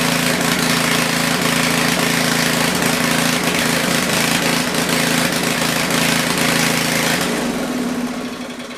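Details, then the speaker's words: Generator running before its feet were replaced and before a power-output check; busy, slightly hurried drone with steady pulse, then winds down; governed speed sounds a little high, not confirmed. "well that runs i can't really say runs very well it sounds like it's a little high but let's work on that shoe"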